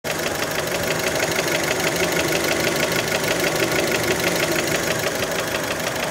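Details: Fiat Panda engine, warmed up, idle: steady, even knock about three times a second over the engine note; many suspect piston skirt (piston slap), not confirmed.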